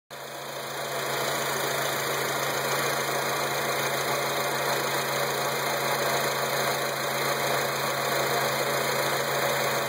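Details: Acura TSX at a steady idle: a constant hum with a fast, fairly even ticking about four times a second on top. Source not pinned down; cause suspected, not confirmed.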